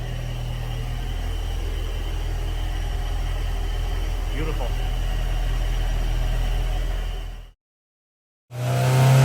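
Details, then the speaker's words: Honda S2000 with brand-new OEM F20 short block and new cylinder head, first start after rebuild following a seized engine: deep even idle, steady low pulse, no knocks or misses before cutting out; runs cleanly. "it's always amazing when you see an engine that you built from nothing you put it together you hit the key and it runs"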